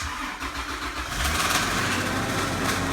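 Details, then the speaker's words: Toyota 80 Series Land Cruiser VX Limited starting during an R134a AC recharge: a rapid slapping rattle, about four per second, rises with the fan as a fan blade strikes a hose. "uhoh something sounds horrible let's see what the heck that was look at that the fan was hitting the hose"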